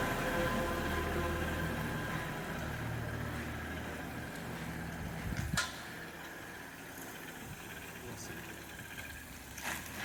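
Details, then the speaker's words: Audi RS2, about 30 years old with 200,000 miles, on its first startup at the German dealer, parked: a warm, even idle hum with no knocks or misses and a light clatter midway; it sounds healthy. "I'm not driving but it's the first startup it sounds good running"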